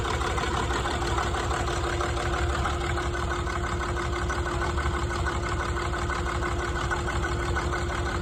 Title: Rough idle Tdv6